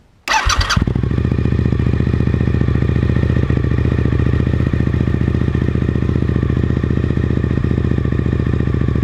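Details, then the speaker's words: Suzuki SV1000S just after a Danmoto JISU muffler install: short crank, then a steady, even, deep throbbing idle with strong exhaust pulses, running healthy. "We'll see how it sounds real quick. Just start it up, make sure everything's good."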